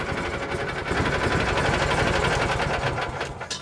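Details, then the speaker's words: 1986 or 87 Argo Magnum running off an external boat tank: low, steady idle with a quick, even patter and no misses or knocks. The idle is set low so the clutch doesn't engage and gears don't grind; runs well. "you hear how low it's idling that's so the clutch doesn't engage and it makes so the gears don't grind too bad when you put it in gear but it really does run"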